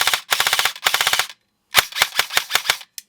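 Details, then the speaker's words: Airsoft AEG with Version 2 gearbox, test-fired on full auto after reassembly with grip and motor installed; crisp even bursts of about a dozen shots a second, clean cycling, no grinding, fires properly. "just do a little test to make sure it actually still shoots"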